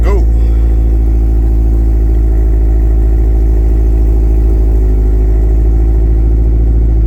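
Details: Mazdaspeed 6 after Deatschwerks DW65 fuel pump install: engine catches and settles into a steady, even run with deep smooth note, no misses or knocks. Normal running.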